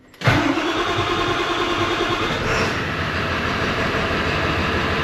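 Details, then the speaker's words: Ford F350 7.3 Powerstroke diesel, sat a year, fuel suspected of water contamination, started in a garage: brief crank, catches straight away and settles into a steady, even idle; normal start and idle. "starts up and runs now back in gear cuz I don't want to roll in my garage door um so yeah starts it runs it works it drives"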